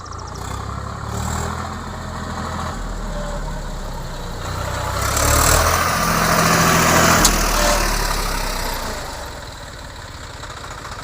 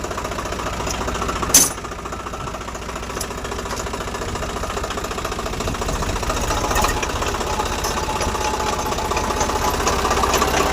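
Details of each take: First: Swaraj 744 tractor after gearbox repair for a noise only in reverse gear: diesel runs steadily in reverse on road test, swelling briefly with load, no gear whine, grinding or knocking; the noise is gone. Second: Swaraj 744 tractor diesel running, moving in reverse: a rough, repeating knock about three times a second, only in reverse gear, not in first through fourth, for three days; gearbox to be opened.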